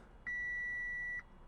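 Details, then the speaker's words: 2014 Audi S5 supercharged V6 at 82,000 miles, auction car, at key-on: a single steady high dash chime with "please add oil immediately" warning, although oil had been checked present. "Oh, flashing lights. Please add oil immediately."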